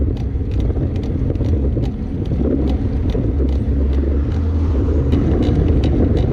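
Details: 2015 Trek Remedy mountain bike while riding: sharp, uneven creaks and ticks over low riding rumble, from somewhere in the frame or suspension; source unknown.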